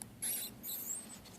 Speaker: stand get some pretty good binding in here you can tell that squeaking